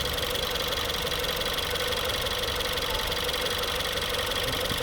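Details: 2016 Ford 1.6L EcoBoost GDI with comeback misfire: smooth, even idle with steady beat, no stumble or skip; power balance test looks great.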